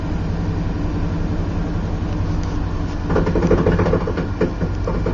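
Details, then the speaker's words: Truck starting on a freshly installed new battery after corroded battery and cable, in park: starts and picks up smoothly into a steady even idle with low rumble, no stumbling or odd noises; normal start. "let's see the Moment of Truth it'll start up get out of here it's in park woo"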